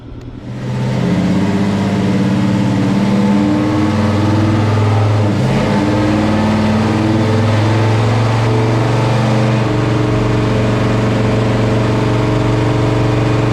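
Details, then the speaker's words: Chevelle with an unrebuilt 402 big-block V8 on the dyno. It pulls hard and climbs, then flattens and holds at one pitch, refusing to rev past 5,200 rpm; cause not identified. "the car will not rev past 5,200 RPM. This is really bad, guys"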